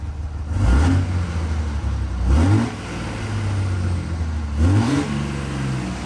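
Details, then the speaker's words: Cummins diesel truck after new fuel pressure sensor fitted without thread tape: steady low rumble with clean throttle blips rising and settling evenly; good fuel pressure, less smoke, runs smooth. "You can hear how smooth she's running now. We're getting good fuel pressure now. A lot less smoke."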